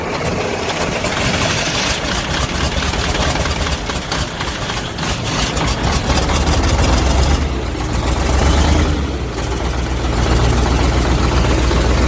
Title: Тяжёлый запуск двигателя ЯМЗ 238 после ремонта топливной аппаратуры